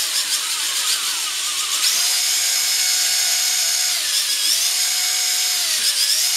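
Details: WL Toys V262 quadcopter with brushed motors, one already replaced, new battery: high motor whine whose pitch jumps and dips unevenly instead of holding steady; one brushed motor is failing and was replaced again.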